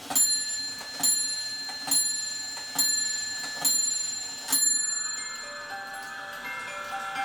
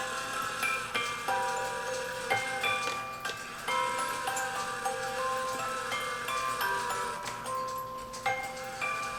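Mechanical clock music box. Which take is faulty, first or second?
second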